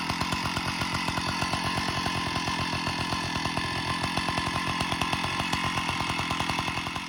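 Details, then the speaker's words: Stihl 056 AV Super chainsaw running at steady speed with a rapid, harsh metallic rattle over the engine beat; abnormal internal rattle, owner suspects it is internal, cause not yet found. "so i can't figure out what it is i think it must be internal so we're gonna strip it down and i thought i'd bring you along for the journey"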